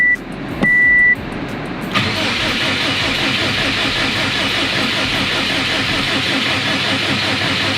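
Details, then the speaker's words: 2006 Subaru WRX STI with freshly built EG33 six-cylinder swap, cranked with fuel pump and crank position sensor disconnected; short beep then steady evenly paced cranking, no knocks or hesitation; engine turns freely and sounds healthy. "let me turn it over for you guys because this thing sounds super healthy so we got our o6 sti here i have the fuel pump and the crank position sensor disconnected right now but just listen to this thing"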